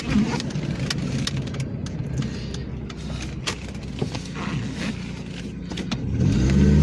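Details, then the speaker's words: 1998 Dodge Neon, single-cam automatic, 147,660 miles, oil leaking, warm, driving: uneven stumbling beat and rough thrum as throttle opens; misfires under acceleration, cause not confirmed before plugs, wires and valve cover gasket replaced. "So, yeah, it misfires on me. Yeah, not good."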